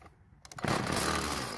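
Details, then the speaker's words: Stihl FS36 two-stroke trimmer, won't start after storage, fuel poured into carburetor throat: catches and buzzes about a second before dying, suggesting a fuel supply problem; carburetor suspected, unconfirmed. "fortunately for us it ran for just a second so we'll continue now if it didn't start we would check to make sure that it had spark"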